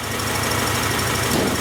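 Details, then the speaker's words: 1994 Acura Integra 1.8 L DOHC, warmed up. Slight flow remains through the cold fast idle valve, but covering it does not change idle speed. Steady, even idle with no rise or fall: normal idle. "cold fast idle valve. Although with my finger over it, it's not really changing the idle speed."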